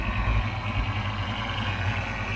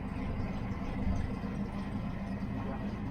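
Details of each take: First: Fox body Mustang V8 idling, cammed: steady high thin whine over a lumpy idle, holding even pitch; power steering pump whining, apparently needs power steering fluid. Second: Fox body Mustang V8 idling at about 900 rpm, cammed: low, steady, even rumble with no knocks or misses; engine sounds tight and healthy.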